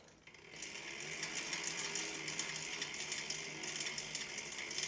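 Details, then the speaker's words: Mountain bike drivetrain spun after washing without degreasing: rapid irregular ticking and creaking, about three clicks a second, loud and gritty; dry, dirty chain creak. "Pretty creaky and loud right now. I just washed my bike. I did not degrease it because it wasn't that greasy. It wasn't that dirty."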